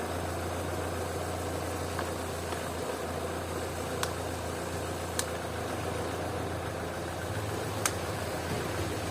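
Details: Opel/Vauxhall engine that sometimes idles at 2000–3000 rpm, now idling around 800 rpm while intake joints are sprayed with water: steady even idle, a few faint clicks, no hiss or speed change, so no vacuum leak; throttle body next.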